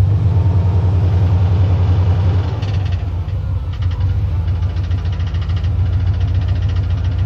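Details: 1990 GMC Sierra at idle: a crisp tick sets in after a few seconds and repeats three or four times a second, with clunking; owner thinks it comes from the starter, new that day, unconfirmed.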